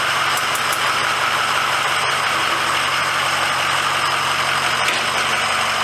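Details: 2006 Ford F350 diesel idling after oil and fuel filter change and air bleeding: steady even unbroken clatter, no misses or hunting; normal idle.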